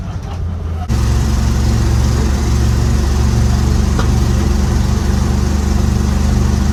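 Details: 1955 Chevy dump-bed truck, sat 23 years, small-block V8 (owner says old 350) with cherry bomb mufflers, driving on the road: deep, steady burbling rumble, no knocks or misses, pulling cleanly; normal running.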